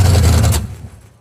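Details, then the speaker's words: Old drag race car with Turbo 350 transmission and 4.88 rear gear, run again after 10 years: rough loud V8 with sharp irregular pops, hesitating and cutting out; carburetor not happy, had been doing this before, cause unconfirmed. "man that carburetor is not happy"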